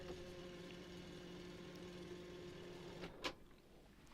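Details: Hitachi TRK-8130E radio cassette after mechanism service and new belts: smooth steady low hum from the reel drive for three seconds, then a soft clunk as it stops; rewind running cleanly.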